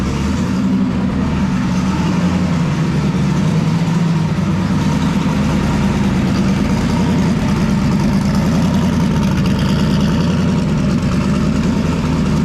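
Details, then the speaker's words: Turbocharged car after tune fixes and turbo oil-feed work, started up before quarter-mile racing: deep, steady idle with an even low rumble and no trace of the earlier squeaking noise: normal idle. "Okay, hopefully you can hear me, but I started it up. It sounds pretty good right now. So I don't hear the dreaded squeaking noise, but I'll take the camera in there so you can check it out."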